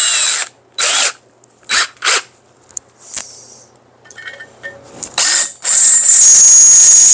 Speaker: Huh. Hear that squeal? That means it's not sharp. But it's still taking out some metal.